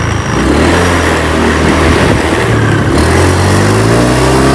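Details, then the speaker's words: Honda Beat Street scooter that stumbles under throttle, before fitting an NPP TPS sensor: revs up, then the exhaust note stumbles and sags at wide-open throttle instead of pulling. Faulty TPS suspected, not confirmed. "Ini kalau digas mentok dia malah mundur."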